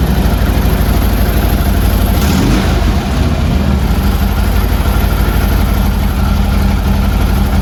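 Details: Harley Twin Cam, first start after a Drag Specialties clutch install: a steady, even V-twin lope at a raised cold idle, deep and smooth with no knocks or rattles, waiting for the idle to drop; normal fast idle.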